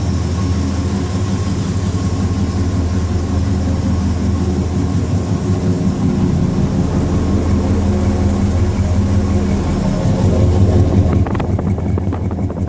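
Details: 1996 Dodge Ram 2500 V10 with 225,000 miles (title says not actual miles), all 10 rusted spark plugs replaced: deep, loud, steady open-exhaust idle rumble with no misfire or ticking; runs smoothly.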